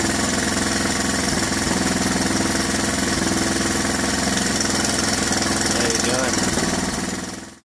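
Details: 1981 Honda XL125S with 7,000 miles at steady idle: fast, even metallic rattle from the top end, about three a second. Cam chain rattle, with the cam chain adjuster suspected frozen.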